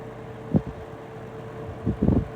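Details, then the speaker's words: Vintage Penn Crest 22 hassock fan model 9722 with 3-speed General Electric motor after oiling, on low at about 115 V, 1.0 A: steady hum and soft whir with brief thumps; earlier grinding became a whir, runs smoother. "I can kind of hear the motor. Hear the oil moving around. That grinding has kind of turned into a whirring noise on low."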